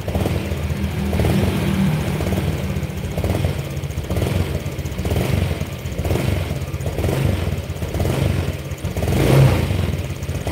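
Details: Honda Vario Techno PGM-FI scooter, cold engine: stumbles and sputters unevenly as throttle opens, revs not climbing cleanly; runs normally once warm, EOT sensor fine.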